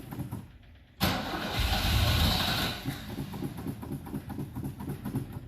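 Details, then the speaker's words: Manual-clutch vehicle after the gas pedal was pumped repeatedly; the electric fuel pump can be heard running. Steady starter cranking at about two to three turns a second, repeating without catching. The engine turns over but won't start, cause unconfirmed. "a little bit I don't hear the PO oh I do hear the electric fuel pump so maybe it's working its way"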